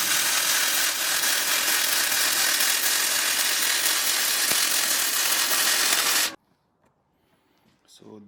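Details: Gasless flux core MIG weld on unprepped steel with thin mill scale left on: steady, even crackling sizzle for about six seconds before cutting off, a smooth, consistent normal welding arc.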